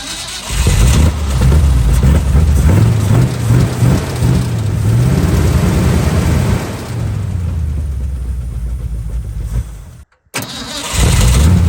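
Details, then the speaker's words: Old Ford F100 V8 after correcting firing order (distributor rotor thought to spin counterclockwise, had been set clockwise), backfiring before, still on RV battery: engine catches, revs unevenly with wandering pitch, then settles; now running. "So let's see if it fires up now. That's progress."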